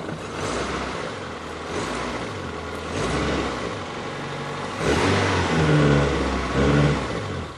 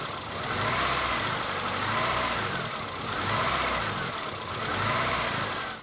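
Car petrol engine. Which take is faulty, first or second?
second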